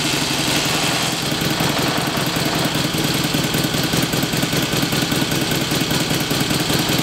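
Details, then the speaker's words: 1954 Victoria Bergmeister V35 motorcycle, sat for years in a living room, started on choke with slight throttle: rough idle with loud clattery rattle about once a second; not enough oil reaching the top end, blocked oil passage from RTV sealant suspected. "i can show everybody what i mean when i say we're not getting enough oil at the top end"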